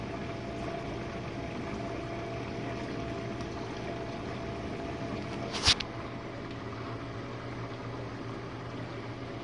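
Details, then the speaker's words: Jenn-Air dishwasher on Quick Wash with heated dry, main wash just after the detergent dispenser opened; it recently made low recirculation noises from suds, and a new air gasket was fitted. Steady, even water swish over a low pump hum, no grinding or surging: normal wash. "And this is the main wash, guys."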